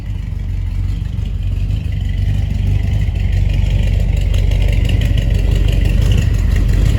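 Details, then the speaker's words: 1983 Chevy Silverado with glass-pack exhaust, after hitting a deer: deep, steady cold-idle burble with no rattle yet; the rattle appears after about 10 minutes of warm-up. "yeah it sounds fine now so we're gonna let it run a little bit and then we'll show you how it sounds after we let it run a little bit"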